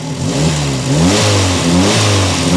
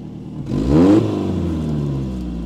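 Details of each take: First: Peugeot 405 1.9L GRX4 carburettor engine before adjustment, about to be set with a Gunson Colortune; revs rise and sag unevenly with a wavering, hunting note, running badly as the carburettor is out of adjustment. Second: Peugeot 405 1.9L GRX4 carburettor, after adjustment with Colortune, choke pulled: quick rev rises then slowly settles to a steady raised fast idle with no hunting or clatter; choke fast idle working normally.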